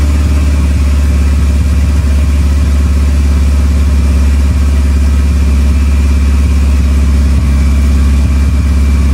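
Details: 2.3L turbo four Lima-swapped into Smokey, freshly started on PIMPX batch-fire engine management, warming up to verify base timing against the computer; strong, steady deep drone with even beat, no ticking or misfire; normal running.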